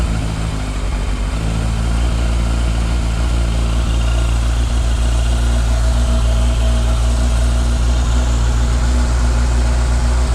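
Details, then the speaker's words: 1998 Yamaha YZF600R Thundercat first start after transmission repair, rear wheel off ground: smooth, even low hum with steady beat, no knocks or rattles; normal idle, no leaks, all gears work, carburetion still needs adjusting. "so [Music] no leaks that sounds good oh [Music] got all the gears that's good"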